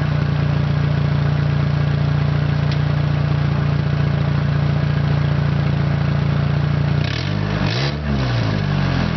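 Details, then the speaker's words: 1992 Honda Accord at a junkyard, cold start, no exhaust sock: steady low idle drone with a slightly uneven beat, then a brief blip, like a mild miss; the owner blames a failed alternator for the miss. "now the reason why I actually hear that sort of like a Miss is because the alternator's pooched on this"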